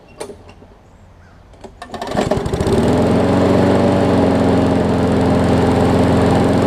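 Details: Newer Murray push mower, after shortening the governor spring: fires after a couple of pulls and settles into an even, steady drone with no hunting or surging, normal running.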